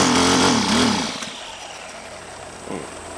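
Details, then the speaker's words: Honda GX25 (HHT25) small four-stroke just rebuilt with new piston, cam, timing belt and valve job for a compression problem, first start for heat cycling without full throttle: catches with a high buzzing rev, then drops to an even, steady idle; running normally. "So we aren't going to want to give it full throttle right away. That new piston has got to be able to seat inside of there."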